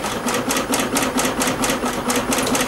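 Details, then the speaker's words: 2021 Yamaha XMax 125 (Blue Core) at 11,000 km, with a broken engine rebuilt and a new spark plug: the starter grinds slowly at about four beats a second and never catches; owner says the battery is soft and will charge it 3–4 hours. "je vais recharger la batterie j'aurais bien voulu faire un petit live avec vous mais bon ça le fait pas la batterie elle est elle est mouigace elle est molle"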